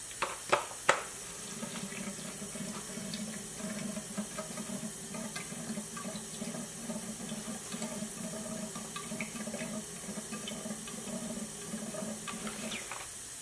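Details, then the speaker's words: BMW E36 M3 S52 burning oil with metal in the oil: leak-down test on cylinder 4 at TDC compression sends lots of air into the crankcase, and the pulled dipstick tube gurgles steadily. Piston rings suspected, not confirmed. "there is a large amount of air coming out of the crank case and if I pull the dipstick you will hear the oil gurgling"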